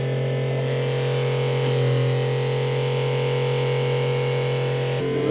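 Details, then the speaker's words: Spectra watermaker on a sailboat after replacing the high-pressure pump, auto run: steady, even pump drone with constant low hum, Clark pump cycling and building pressure; running normally. "there we go the Water Maker Works pump works the Clark pump works everything's working okay"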